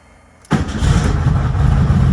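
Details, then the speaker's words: 1972 VW Super Beetle with a week of battery problems, now restarting after a drive for breakfast: it catches straight away without pumping the gas and settles into a steady, even idle. Healthy start. "i didn't even have to pump the gas oh yeah"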